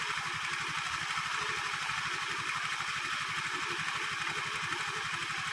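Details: Honda Vario 110 carburettor scooter after fixing lack of power caused by the carburettor vacuum slide rubber: single-cylinder putter about four even beats a second with light steady buzz; idles evenly.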